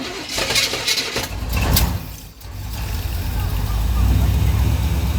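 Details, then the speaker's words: 1984 Chevy Silverado with a slight miss, distributor timing being adjusted: after stalling and restarting with a little throttle, a few sharp backfire pops as it catches and stumbles, then a rough, unsteady idle. Backfire with timing still off. "our first backfire. Right in my face."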